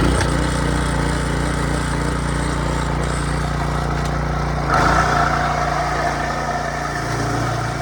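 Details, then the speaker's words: Early-to-mid-2000s Craftsman brush mower revived after sitting 3 years (carb rebuild, air filter, oil, spark plug), cutting tall grass on soft wet ground: the single-cylinder chugs steadily, dips under load and recovers cleanly with no misfires; runs a little hot and dirty. "well it works a little hot and a little dirty"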